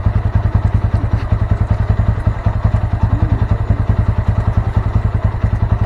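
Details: Honda Mega Pro Primus single after a CDI replacement and a shorted ignition-switch wire repair; charging checked at 14–15 V: steady, even thumping while revved, firing clean and regular with no misses; normal running.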